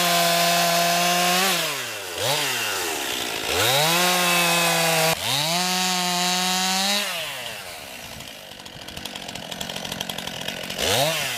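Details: New 50cc two-stroke chainsaw, about ten pounds, cutting wood from a skidded pile on a cold day: crisp buzz revs up cleanly, bogs slightly into each cut, recovers fast. Owner finds lots of power for 50cc; normal healthy cutting.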